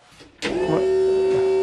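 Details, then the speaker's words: Used 5.3 LS engine in a 1955 Chevy Napco clone, key on before the first start attempt with no fuel added yet. A click, then a steady mid-pitched electric hum as the electronic throttle (gas pedal) actuator works normally. "and I can hear my gas pedal working so that's good"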